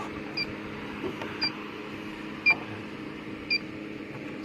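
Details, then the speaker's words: Electronic leak detector chirping sharply about once a second against a quiet hum at the evaporator of an HVAC system, finding a refrigerant leak on the rear U-bends; the 832 evaporator is a common leaker, and the unit was recharged. "Got done charging that unit up. Evaporator is a leaker, pretty common, 832."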